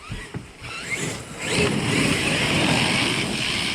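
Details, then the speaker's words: Traxxas X-Maxx RC truck on 6S, Hobbywing Max5 G2 ESC, TP 5840 1700kV motor, mod 1.5 PR Racing gears, 11T pinion, 35T spur: steady high whine under throttle with rough clattering and clack; gears suspected damaged, not confirmed. "Oh, I think the gear's messed up. Yeah, I think the gear's messed up. So I definitely hear gear."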